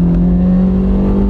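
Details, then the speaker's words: 2005 Toyota Matrix with a manual transmission and a used replacement gearbox, pulling hard in third then second gear. Strong, even engine drone with no rattle under load; the catalytic converter is not clogged, normal acceleration. "hey it burns rubber hey this thing is still Zippy it's a lot zippier than ours cuz it's a manual transmission"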